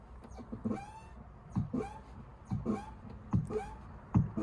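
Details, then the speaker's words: Repaired crash-damaged Ford Ka Titanium; rhythmic creaking squeak about once a second with sliding pitch from the door; annoying door creak, source not pinned down. "the other little thing that's really annoying i'm leaving the door so hopefully you can hear it"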